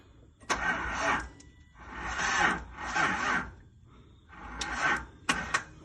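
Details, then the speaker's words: 1983 Datsun 280ZX that sat 18 years, starter known bad, fuel fed from external tank: four or five short whirring crank bursts with pauses, never catching; crank no start from faulty starter. "Still got the bad starter in, so it might not start."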